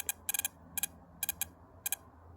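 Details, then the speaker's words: MSD ignition bench test on a classic Mopar distributor with battery, basic wiring and a spark plug: sharp, crisp snaps in quick clusters, about a dozen in under three seconds; a strong, hot, healthy spark. "But yeah, I'm impressed really out here on the bench. That spark sounds hot."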